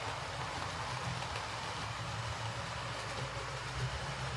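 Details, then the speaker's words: Hornby R2558 County Class loco after a new drive gear and blanking plate, running on the layout: steady low rumble, no ticking from the drive gear; noise is the cheap motor, considered normal. "And to be honest, there isn't really much you can do with these models. Uh, they tend to make a bit of a horrible noise."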